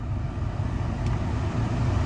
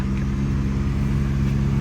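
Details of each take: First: 2014 Chevy Cruze cabin blower after a cabin air filter change, once leaves that fell into the blower were removed: a smooth, steady low whoosh of air with no flutter, normal blower operation. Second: 2014 Chevy Cruze cabin blower on full blast after a cabin air filter change: a steady low droning rumble with a fixed low tone and faint rough flutter; leaves were later found.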